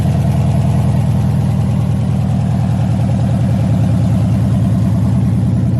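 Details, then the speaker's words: LS-swapped 1986 El Camino, 5.3 with Camaro heads, cam and LS6 intake, first fire-up on open headers with no exhaust yet; loud, choppy lope at a steady rhythm with no knocks or misfires; normal idle of a cammed engine. "and there you guys have it man 5.3 Camaro heads cams LS6 intake and I think that's pretty much it"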